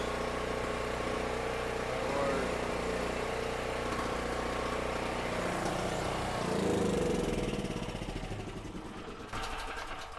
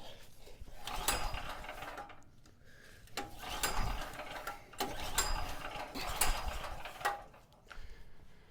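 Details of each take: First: $50 used generator with 38 hours, once a non-runner, powering a drill press and light on 120 V: steady even beat with no surging or stumbling; normal running under load; owner thinks a slightly clogged petcock was the only issue, carburetor fairly clean. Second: Cheap used generator, 38 hours on it, had been running then suddenly wouldn't start: repeated recoil pulls in short ratcheting bursts, engine turning over but never catching; owner suspected flooding, cause was corroded on/off switch contacts.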